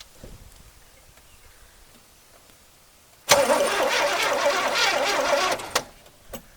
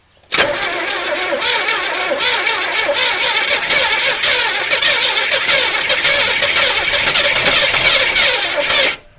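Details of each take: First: 1981 Chevrolet El Camino with Rochester 4-barrel carburetor, left on a trailer for 21 years, first key turn: about two seconds of brisk, even, strong cranking, starter and compression sound healthy; normal cranking. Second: 1981 El Camino sat 21 years, gas in float bowl and down carb barrels: about nine seconds of continuous even starter cranking, no catch, weak starter; two dead cylinders from chewed spark plug wires.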